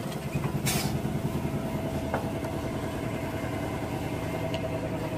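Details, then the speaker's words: 1990 Chevy Blazer/GMC Jimmy 4.3 first start after valve job and head gasket: quiet, even idle with a steady low rumble, no knocks or misses, some handling clicks; oil pressure 40–45 psi, waiting for RPM to drop; normal healthy idle. "It's looking good, looking stable."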